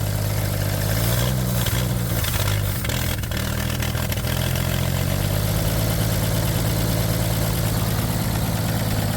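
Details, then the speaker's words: 1962 International B150 farm truck, first start after sitting years on temporary fuel supply: low uneven idle that sags and wavers then steadies, stumbling as it runs out of gas; not smoking. "It's not smoking. And it is smooth. She's running out of gas now."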